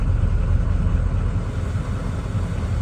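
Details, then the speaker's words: 2003 Ford Excursion 6.0 Powerstroke diesel right after first start following fuel filter/water separator housing service, air possibly still in system: deep steady diesel rumble settling into an even idle, no misses or knocks; normal idle. "May stall out here in a minute when it gets air up into the system."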